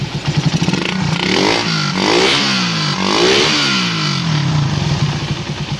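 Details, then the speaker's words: Suzuki Raider 150, after replacing four valves, timing chain and restoring stock tensioner: revs up and drops back smoothly twice with no top-end clatter; valvetrain now quiet. "Yan, o, tahimik na siya. Ngayon, hindi ko pa nakikabit yung dito side kasi lilinisan ko pa to kasi yung dumi. Wala na siyang kaingay-ingay yung mga ka-ride."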